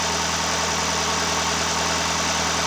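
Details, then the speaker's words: 2017 Hyundai Santa Fe 2.4 GDI, first start after engine work for valve-related misfiring: steady, even idle with smooth hum, no stumble or skipped beats; misfire fixed, normal idle. "there you go the problem solved no misfiring absolutely nothing it's done"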